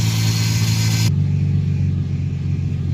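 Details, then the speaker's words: Nissan 350Z VQ35 V6 after new battery fitted, misfire previously present (alternator, spark plugs, coil packs already replaced): steady low drone with even firing beat, no stumble; misfire gone, running smoothly before warm-up. "it doesn't sound like it has a misfire anything anymore and a let it run for a while and see like when it warms up"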